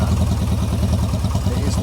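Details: Yamaha XS650 twin idling loud and lopsided with one pulse missing each cycle, running on one cylinder. It warms up but one pipe stays much cooler.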